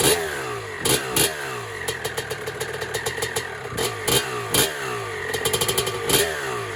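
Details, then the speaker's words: 1996 Honda CR250 two-stroke, first start on a build, 93-octane pump gas, choke off: sharp blips climbing and falling cleanly, raspy loud edge from a cracked exhaust pipe; runs healthy. "Actually sounds pretty good. This is the crack in the pipe, so it's a little bit loud maybe from there, and this is totally screwed up."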